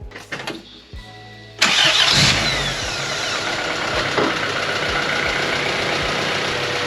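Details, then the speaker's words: 1995 Honda Civic with B18 swap, after a new starter, ignition fuse and replacement of a failing, noisy distributor. A few clicks, then it catches into a smooth, even idle with no ticking or rattle, quieter than ever. Normal start and idle. "all right I think we're good so it was a failing distributor wow that engine is a lot quieter now so the engine has never been this quiet"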